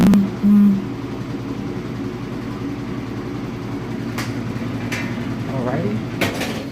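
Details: Washing machine on a loaded fast spin, recorded from the lid before fitting anti-vibration pads: steady low drone with a buzzing rumble and no knocking; heavy spin vibration.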